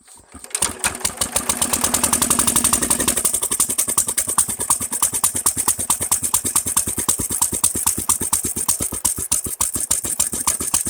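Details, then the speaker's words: Nearly 100-year-old Standard Monarch tractor, freed from seizure within a week, with a new Champion 25 plug, cleaned tank and fitted carburetor. Started with choke off and a little throttle, slow cranking catches into an even single-cylinder beat near two firings a second, running normally. "I am super impressed it went from you know stuck froze up not running to this in less than a week"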